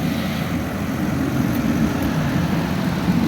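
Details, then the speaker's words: 1997 Lexus LX450 (FZJ80), inline six, 185,000 miles: smooth, even low idle rumble with no knocks, ticks or misses; engine running beautifully, normal idle. "You can see that the engine is running beautifully."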